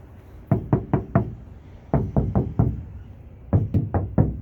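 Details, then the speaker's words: Ford Flex door, untreated side with no KnuKonceptz deadener, for comparison: bursts of three or four knuckle raps ring hollow and tinny with a short boomy tail, a hollow, undamped door panel. "Section 2, section 3, and that's the back. Here's the non-treated side."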